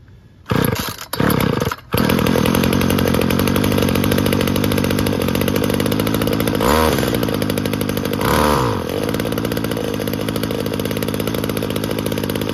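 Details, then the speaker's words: Weed Eater GTI 19 two-stroke string trimmer, about 33 years old, from an estate cleanout: it catches on choke after a couple of pulls and settles into a steady buzzing run with blips. Normal running. "crank it over see if it'll start on choke first it's a good sign"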